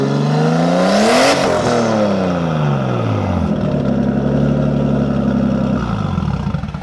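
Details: Nissan S14 with an RB20 swap and a full 3-inch straight pipe to ISR 3-inch pipes; climbs to a sharp rev, falls back and settles into a smooth idle with clean, even response and no misses: healthy.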